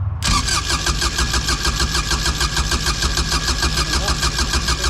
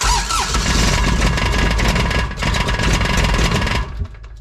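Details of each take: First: Kubota RTV900 diesel, long sitting, after new starter fitted: starter whirs briefly, engine catches and settles into steady even idle, starts fine; machine then won't move, transmission problem suspected. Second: Kubota RTV900 diesel, sat long, new starter, battery dead overnight so jump pack used: steady rapid cranking about four seconds, never fires; glow plugs then used about 10 seconds; fueling issue suspected.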